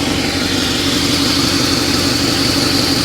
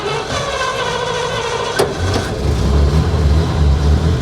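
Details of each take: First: 1953 Pontiac Chieftain, in neutral, warming up (wanted to die off throttle at first): smooth, even idle with steady beat, no misses, knocks or ticks; generator charging 11.3 V at idle, over 12 revved. Normal idle. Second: 1953 Pontiac Chieftain, 12 V system, cold start in neutral: uneven lumpy idle that sags and wants to stall off throttle, then steadies; alternator shows 11.3 V at idle.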